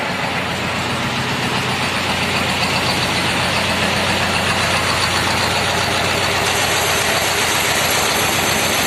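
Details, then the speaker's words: T-25 tractor diesel after repair (new brake drums, new clutch-pedal seals, cable throttle); clutch pedal still stiff and not fully returning, owner unsure why. Even diesel clatter at steady idle, about three to four beats a second, no misses or knocks; runs normally. "А так, нормально працює."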